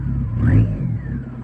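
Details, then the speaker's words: Turbo car after a highway trip, exhaust broken or rusted off: deep booming drone under a quick rev with turbo whistle rising and falling; exhaust leak, before the pipe section repair. "Alright, so coming home from a highway trip yesterday, my exhaust starts sounding funny, so let's see if it sounds normal or it sounds like something's falling off. Oh yeah, that's loud and obnoxious."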